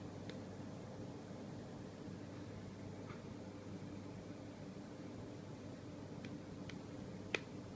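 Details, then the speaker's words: New LG 23MP75 monitor on HDMI to a Windows 7 desktop: faint, irregular popping/clicking, about five pops in eight seconds over a room hum. It starts after around 7 minutes connected. "This is my new LG monitor, and it makes a popping sound. Pop, pop, pop, pop, pop, pop."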